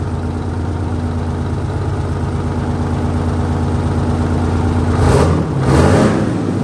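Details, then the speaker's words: 1968 Dodge C500 truck idling after air-system repair; steady idle with compressor chuff, then two sharp hissing air bursts as the governor cuts out at 120 PSI and purges; normal governor cut-out and purge. "Rub the air pressure right out at 120. Well, that about puts a wrap on this one. We hit 120 PSI. Um, that's working good."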